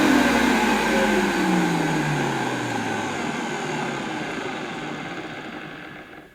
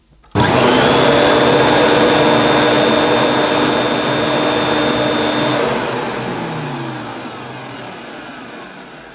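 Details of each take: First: Refurbished late-80s Electrolux 614 upright vacuum with a cleaned and greased motor, original carbon brushes and the suppressor removed: winds down from a steady whine with a faint rough grumble under the hum; a slightly grumbly motor. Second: Electrolux 614 upright vacuum after refurb, motor cleaned and greased, suppressor removed, original carbon brushes: switches on to a smooth, steady motor whine, then winds down gradually after shutoff; much improved over pre-refurb sound.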